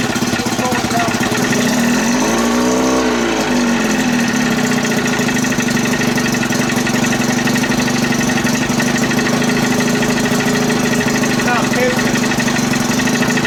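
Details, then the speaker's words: 30 hp Evinrude outboard idling with no thermostat, idle stop screw fitted; metallic rattle and brief rising whir as the slowly spinning starter drive jumps up and hits the flywheel while running. "all that noise is coming from that starter uh while this is running this is still spinning all right it's going real slow and then it jumps up and hits it"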